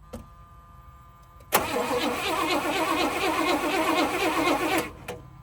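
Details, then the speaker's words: 1978 Pontiac Grand Prix, Pontiac 301 V8: steady starter churning for about three seconds that never catches. Owner suspects the battery is not turning it fast enough; a swapped battery later cranked faster and it ran. Crank, no start. "Man, I just don't know if that battery is turning her fast enough. Let's see. Yeah, it's just battery."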